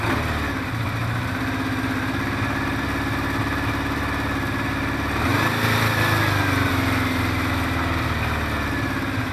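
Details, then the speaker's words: Recommissioned 1973 Honda CB500 Four, first kick start after carb reassembly with no air filter: uneven, slightly hunting idle with a brief rise. It runs a bit lean and the carbs are out of sync, and the primary chain is rattling. "That's how I'm used to it. Running a bit lean at the moment because we have no air filter. And we are not completely in sync because the primary chain is rattling."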